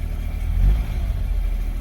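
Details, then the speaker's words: 2003 Smart Fortwo three-cylinder after new spark plugs and HT leads, now running on all 3 cylinders: low, even idle hum with a small early swell, then settled with no stumble or miss; engine light off and it sounds much smoother. "and it sounds so much smoother, I can't even tell you."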